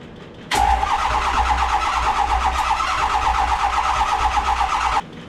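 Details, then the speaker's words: Ford 6.0 Powerstroke diesel (2005 truck, 2004 block, 2006 heads) with new main wiring harness and new cam and crank sensors; starter cranks steadily about four seconds without catching: crank no-start, later traced to a bad FICM relay. "It wasn't starting the other day, and it turned out just to be this little relay. This is a FICM relay, and that was bad."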